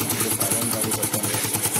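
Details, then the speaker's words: Motorcycle exhaust silencer broken at its weld joint; loud, raspy exhaust pops at a quick even beat with hissy crackle on top as exhaust blows through the cracked silencer, before removal and welding repair. "तो दोस्तों यहां से जो उसका welding है वहां से टूट चुका है हैं और इसमें आवाज कैसी आती है मैं आपको दिखाता हूं"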